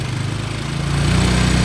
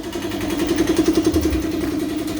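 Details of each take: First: Honda Karisma motorcycle, throttle raised to fast idle before setting the idle screw: rises slightly and steadies with an even beat, running cleanly with no misfire. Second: Honda Karisma motorcycle after carburetor service: idle is surging and uneven with the speed wandering, though it revs fine with throttle. The mechanic confirms the automatic (vacuum) fuel tap is leaking and must be replaced.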